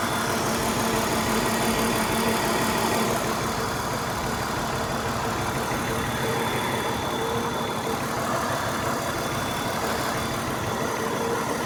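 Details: BMW 328i at idle, owner suspects it is running on 5 cylinders: steady idle with a faint uneven stumble about three times a second; suspected single-cylinder misfire, cause not confirmed.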